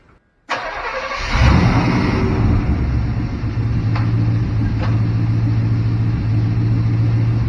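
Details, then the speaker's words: Barn-find Chevrolet C10, unused 17 years, stalling; timing reset to zero from 37 degrees over-advanced, computer reconnected: short crank, then catches and settles into a steady, even low idle with no misses or stumbling. "so that's all the problem was 37 degrees of unnecessary advanced timing i should know better"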